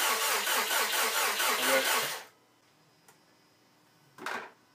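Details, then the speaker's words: Rebuilt 2013 Subaru STi engine cranked to build oil pressure before first start, crank sensor unplugged and fuel pump fuse removed: steady cranking with regular compression beats for about two seconds, no firing. "So I've got the crank sensor unplugged. Should kill off our ignition. And the fuel pump fuse is still removed. We want to crank the engine until maybe we see a little bit of oil pressure pop up on the gauge."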